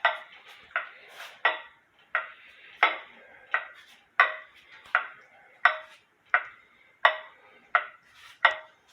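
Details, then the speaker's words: Eli Terry wooden groaner clock, running about 8 hours with beat amplifier on: crisp evenly spaced wooden ticks about one and a half per second, steady beat; running healthily. "Here my Eli Terry clock has been running for about 8 hours now."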